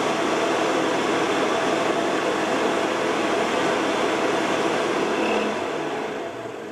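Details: Carver Fanmaster caravan heater 12 V fan, 1996 Swift, after fan and control PCB repair: smooth even airy rush, no knocks or scraping, easing off slightly at the end; runs steadily, though motor runs quite hot and may fail.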